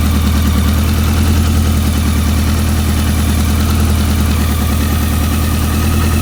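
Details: BMW K100 motorcycle with no-start traced to a dirty #4 injector: steady even low hum at idle with no misses or stumbles, all four cylinders seemingly firing cleanly; normal idle.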